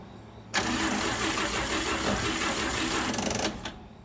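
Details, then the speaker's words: 1955 Chevy Bel Air inline six after a tune-up: about three seconds of steady fast cranking whir, engine never catches, then abrupt cutoff, so the starter is overworked and burning out. "And at this moment, we had no idea we just burned up another starter."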